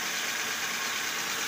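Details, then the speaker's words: Toyota engine idling after the belt-area noise on first start was fixed by repacking the bearing and resetting the fan belt: steady even engine-bay hiss with no squeal, chirp or grinding. "So wala ng tumutunog guys. Yan wala ng tumutunog."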